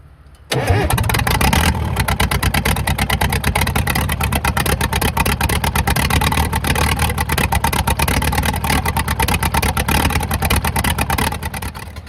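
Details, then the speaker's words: Caterpillar 922B diesel loader revived with an electric fuel pump fed from a raised tank. It runs rough with uneven clatter, popping and snapping. Fuel pressure is low and oil pressure good: a worn diesel running rough. "That engine is running really rough there, popping and snapping,"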